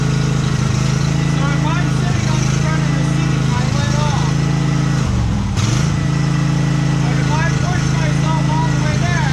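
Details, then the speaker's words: Used Husqvarna YTH1542XP riding mower, only gas added: steady single-cylinder drone sags and labours within seconds of engaging the PTO; deck seized in some form, belt starts burning. "so if you're listening right there you can immediately hear the engine bog and everything within seconds of hitting that PTO so we know that the deck is seized in some form"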